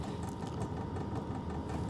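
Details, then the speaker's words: Sunster TB10 diesel heater running: low steady burner rumble with a fast tinny rattle and clanging from the exhaust pipe, left loose and not tightened down. "well I hear a clanging because my uh exhaust is a little loose I didn't tighten that down"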